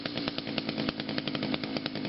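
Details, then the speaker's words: Echo two-stroke after sitting about three weeks, first-pull start, revved high with no attachments fitted, crisp and steady with no stumbling, still runs really good; normal high-rev run. "yeah the reason on why I was kind of revving at such a at a bit of a higher RPM is because there's no attachments on it so yeah just to show you all that this engine it still runs really good"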